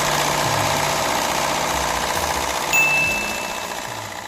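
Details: Peugeot 207 Le Mans 1.6 THP first start at auction yard, running on two cylinders with fault codes P0087, P0772, P1336, P1338, P1340: uneven lumpy idle, harsh thin exhaust; engine misfire.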